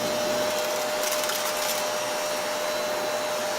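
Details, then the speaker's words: Vacuum cleaner power head with tree needles and debris caught around the brush roll after Christmas; steady roar with high whistle plus brief fluttering rattle of debris whipping inside, risking the side bushings or bearings. "the power head is just making a lot of noise. You can hear the stuff spinning around the power head."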